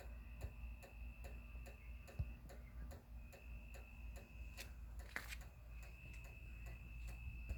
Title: Outdoor Motion Activated Porch Light doesn't work when activated: Makes a constant clicking sound.